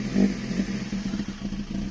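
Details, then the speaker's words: Toyota 2E with a newly installed 272-duration TRD-spec regrind camshaft, just started after setting valve clearances: choppy, loping idle with light valvetrain clatter that needs throttle held to keep idling and tries to shoot flames. "she doesn't want to stay down she's she's definitely i can feel her man she's a um pretty uh lumpy cam for sure i have to keep my foot on that just to keep that idling"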